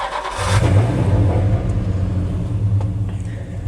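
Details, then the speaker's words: 1982 Dodge W150 with 5.7 Hemi from 2008 Ram 1500, 40-series Flowmaster exhaust; starter catches almost at once, V8 settles into deep even burble without misses or knocks; normal start. "I mean as you can see here it runs quite well"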